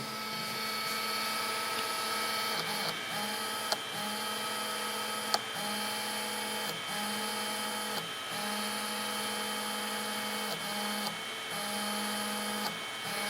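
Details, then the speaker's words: GeForce MX4000 AGP graphics card after capacitor replacement, now boots again; its fan gives a thin buzzy whine that keeps dropping out and catching every second or so; noisy fan needing replacement. "bon, vous avez compris, il faut remplacer le ventilateur."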